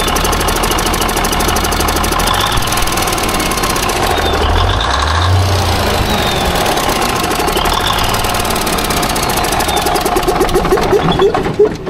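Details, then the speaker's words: Small-cam Cummins diesel, not run for several weeks, idling: a sharp, rapid, regular tick from the back of the engine that keeps time with engine speed. Owner fears cam follower or lobe damage; top-end tick, cause unconfirmed. "I'm really concerned about a tick that is back here, and that's a really bad thing, and a small cam Cummins."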